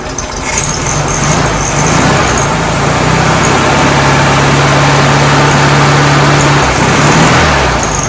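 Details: 1967 VW Karmann Ghia, sitting since 1975, first start attempt after fitting a new starter and cables: starter spins the engine briskly, then it fires and settles into a steady low idle, cranking and starting normally.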